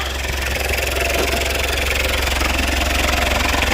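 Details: Citroen Berlingo idling after replacing the exhaust downpipe/front pipe, checked for leaks before getting hot: steady, even idle with a smooth low thrum and no puffing, ticking or blowing at joints; exhaust sealed and healthy.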